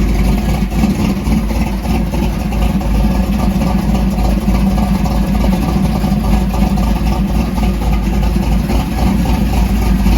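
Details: 1968 Dodge Dart drag car, stroker Mopar small block with solid roller cam, idling after a cold start to heat-cycle it: lumpy loping V8 idle, steady low rumble, even firing pulses, settling cleanly as it warms; healthy.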